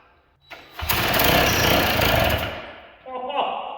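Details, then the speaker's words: 1979 Sno-Runner two-stroke, sat for years, spun with drill on recoil nut (left-hand thread): short drill whir, then engine barks to life with ragged raspy roar under two seconds before dropping off as nut spins off. Brief start. "the left-handed thread on this thing and when the engine starts and the drill is not spin anymore spun the nut right off and chucked it across the room"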